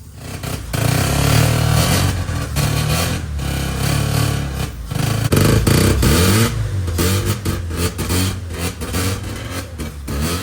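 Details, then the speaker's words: 1985 Mazda RX7 rotary, premixed with two-stroke oil, drained bad fuel: uneven surging run that sags and picks back up, no steady idle; not getting fuel like it should, fuel lines to be blown out for clogs. "so now that we've gotten it running and we know it's not getting fuel like it should we're going to start with taking fuel lines off blowing through them trying to see if they're clogged up or anything"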